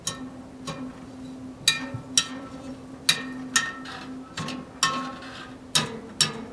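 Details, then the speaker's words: 1970 vintage Schwinn Racer front wheel, fairly true: spokes plucked one by one, some ringing clear and tight, others short, flat, dead or rattly; the dull ones mark loose spokes needing tightening, one really loose. "little flat pretty dead a little rattly that's tight flat and then that spoke is really loose"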